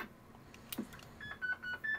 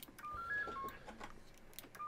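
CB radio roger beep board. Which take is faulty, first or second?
first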